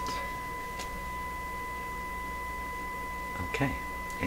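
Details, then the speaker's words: Westinghouse Model 1029 multiband tube radio during IF alignment check, about a millivolt signal injected at the IF frequency: steady pure test tone at constant pitch without buzz or distortion; clean audio output. "turn it up okay sounds good doesn't sound distorted"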